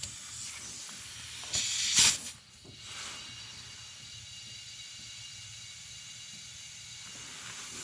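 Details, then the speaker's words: Boost leak test on a turbo engine, intake pressurised and joints sprayed with soapy water: sharp bursts of hissing air around the intake, then quieter; leaking at the intake, up pipes seem good, clamp to be retightened. "okay so that's around ery intake over here it's leaking some the up pipes seem to be good"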